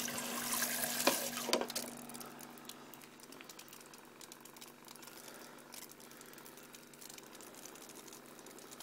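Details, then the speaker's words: Flojet 12 V agricultural sprayer pump fitted to a Zodi camp shower: steady, quiet low hum under the splash of flowing water; pump running smoothly and delivering flow. "as you can hear the pump is really quite quiet"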